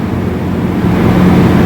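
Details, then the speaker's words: Ford Expedition after P0306 misfire, one spark plug replaced and codes cleared, A/C on: steady even low rumble, smooth unbroken hum, no skips; misfire gone, clean normal idle. "ما شاء الله شوف السلندرات كلها بقت خط مستقيم ما في ما في اي شيء والمكيف"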